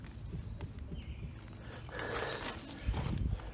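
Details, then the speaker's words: 2008 Infiniti G37 at 179k miles, wheel rocked by hand: dull, uneven low knocks from play in a bad front wheel bearing, only that wheel has play; owner says it drones like rough pavement when driving. "I can shake this tire with two hands it's easier but you just grab the tire give it a good shake and if you hear this play I Can Feel the play in the tire"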